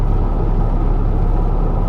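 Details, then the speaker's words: 2012 Ford F-150 EcoBoost 3.5L twin turbo FX4, about 160,000 miles, recovered stolen truck, driving in four-wheel drive around 45 mph: heavy deep pulsing rumble through the driveline, owner unsure of the cause and hopes it's tires. "I don't know what that is that sound sounds pretty horrible but it is in four-wheel drive"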